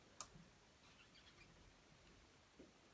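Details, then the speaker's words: Door swinging near silently with a couple of light clicks and no squeak, after the hinge pins were knocked out, greased and reinstalled. "but this is how nice it sounds now"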